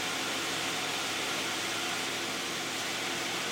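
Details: 2010 Toyota Camry 3.5 V6, 93,000 miles, Pennzoil Ultra 5W-30 synthetic with Wix filter, idling with climate control on: even, steady hiss and whir of the fan, no knocks or misses; smooth, normal idle.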